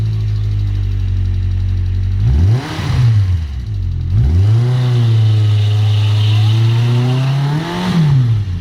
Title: клапан стучит